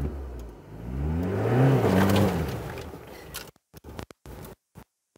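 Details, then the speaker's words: Ford Ranger 3.0 Power Stroke, 175,000 km, used transfer case: hard launch in 4x4 on mud with the front wheel spinning; engine revs and falls back with no clunk, bang or grinding; normal 4x4 engagement. "A corrente não pulou, o barulho do câmbio parou, então com certeza tá tudo bem."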